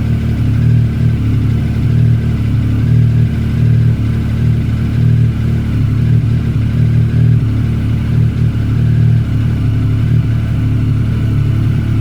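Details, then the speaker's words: Triumph ST1050 motorcycle with 28,000 miles on a cold start: a deep, steady three-cylinder burble with an even beat and a throaty exhaust, no knocks or rattles. Healthy idle. "I can't believe that started. That sounds absolutely sick in a good way. Well, there you have it. I am absolutely fablasted. That sounded absolutely brilliant. No knocks, no rattles."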